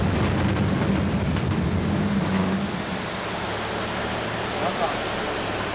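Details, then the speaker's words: DIY Sevtec hovercraft (surface effect vehicle) while lifting and running: heavy steady rumble with a coarse buzz riding over it; skirt buzzing and rumbling, cause unclear. "You didn't hear the buzzing and rumbling of the skirt? Yeah, but I don't know what it means."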